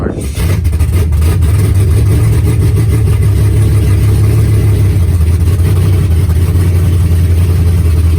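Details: 4.8 LS V8 after full BTR Stage 4 truck cam swap with new LS7 lifters, HV oil pump, head gaskets and valve springs, first start without transmission: catches right away, deep lumpy loping idle, no ticking or knocking; healthy.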